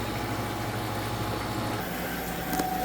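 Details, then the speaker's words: Manitowoc commercial ice machine after replacing a failed contactor; compressor and condenser fan now on, with an even mid-pitched hum and steady fan whoosh, no knocking. Normal freeze cycle, dropping ice at about 17 minutes. "Our fan and compressor are now on. You may be able to hear it."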